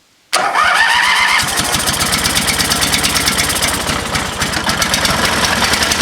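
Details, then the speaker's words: Used lawnmower engine fitted to old Ariens walk-behind mower, started at about half throttle with full choke: catches, even quick single-cylinder putter with no misses or knocks; runs well. "It ran good. That sounded really good. Excellent."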